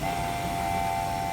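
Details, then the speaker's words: Front-load washing machine after drain pump work, spinning while water is pumped out through the filter area: steady mid-pitched pump whir with no droning hum or rattle; drain pump pumping out cleanly. "water's coming down through here as she spins getting extracted going through that filter area and being pumped out the drain by the drain pump with no annoying hum"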